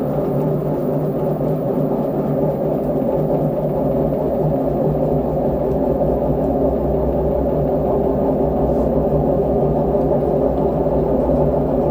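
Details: LG direct-drive washing machine drum turning with a loud, steady, hollow rumble and resonant ringing; owner suspects a failed drum bearing, to be replaced.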